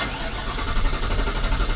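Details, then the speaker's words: 2021 Chevy Suburban with code P129F (fuel pump speed signal incorrect), cranking: steady even cranking but it never fires. The control module output reads millivolts instead of about 6 volts, so the fuel pump control module is bad. "see we have nothing which means the key is on again 10 Mt 9 molt which means this fuel pump control module is bad"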